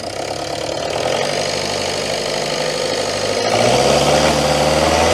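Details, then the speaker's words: Citroën Berlingo HDi diesel after MAF sensor replaced: uneven, lumpy idle near four pulses a second that never settles; still running rough, cause unconfirmed. "I think it's still yeah so you're still not right foreign oh no that is not a Happy Engine at all"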